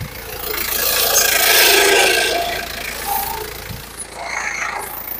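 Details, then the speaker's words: Isuzu Panther 2.3 with bad brakes: harsh raspy hiss with a fast rattle about four times a second from the alternator-mounted vacuum pump (blower). Its hose gives no suction, so the alternator will be removed; noisy vacuum pump. "suara itu dihasilkan dari vakum blower alternatornya ini teman-teman nih"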